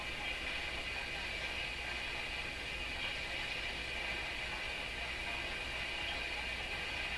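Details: Rogers 11RA651 shortwave tube radio, original 6Q7/6K7 tubes tested in the set: steady hiss with faint high ringing and weird sounds through the speaker, suggesting a noisy or possibly microphonic tube; noise in audio output.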